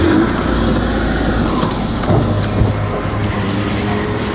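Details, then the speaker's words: 2005 Suzuki Aerio facelift, 1500cc four-cylinder, 5-speed manual, at a smooth, steady idle with no knocks, ticks or roughness. Combustion is good, with no smoke. "dan ini suara mesinnya halus standar normal tidak ada suara-suara kasar dari dalam mesin"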